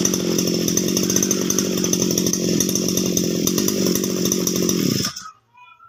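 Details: Two-stroke grass cutter that would not start, running after the fix with the fuel tap opened: steady, even buzz holding constant speed for about five seconds before shutting off; the engine runs cleanly with no misses.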